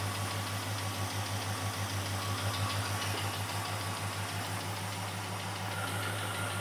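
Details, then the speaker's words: 1974 Ford F100 with a new Summit Racing intake, started after retarding over-advanced timing, coolant not yet added: steady low V8 idle at about three firing pulses a second, no misses or ticking; it idles smoothly. "Well, that sounds like it's running pretty good to me."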